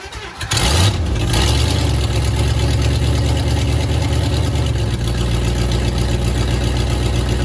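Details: 1954 Buick Roadmaster with 322 nailhead V8, sat unused for years with unknown last run, leaky carb: cranks briefly, catches, then settles into a steady low idle with a slight wobble and odd noises; hard start, cause unconfirmed.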